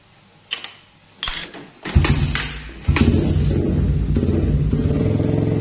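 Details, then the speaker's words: Suzuki Satria FU after cam chain tensioner adjustment to cure tick-tick rattle: fires after a few kicks, settles into even idle with no rattle on small throttle blips; cam chain adjustment sufficient, normal idle. "jadi di bagian rantai keteng itu ya ada pantulan dari kendor kenceng gak gitu ya kayak truk-truk itu kan biasanya ada aja ya di bagian Jasmine gas-gas kecil gitu dan ternyata gak ada ya berarti ini setelan Udah cukup"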